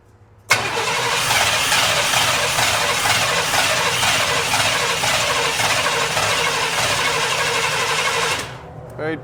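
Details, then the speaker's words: 1997 Chevrolet 1500 5.0L 2WD that died while driving, lean code: starter cranks steadily about eight seconds, roughly three turns a second, never catches; fuel pressure 20 psi versus about 48 expected. "It's only showing 20 psi. Should have about 48 or so. Seems a little low, don't it?"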